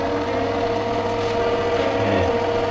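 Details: Sieg C2-300 mini lathe after upgrading the spindle to tapered roller bearings, final test run: smooth, steady whir with a clean constant pitch and no rumble, ticking or grinding; normal running, bearings sound healthy.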